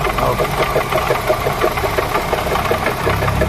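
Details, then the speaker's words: 1995 Opel Vectra petrol engine at idle with a heavy, uneven knock about three times a second; water pump found rough and leaking, fixed by fitting a new water pump. "بصوا طرمبه الميه عامله ازاي خشنه وفي نفس الوقت فيها بش وبتجيب ميه"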